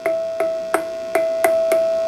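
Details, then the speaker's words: 6SL7 tube in the Micronaut II microphonic analyzer: triode one is good, but tapping triode two gives a sustained bell-like ring near 650 Hz, re-struck by six light taps. The tube is microphonic. "like a little bell."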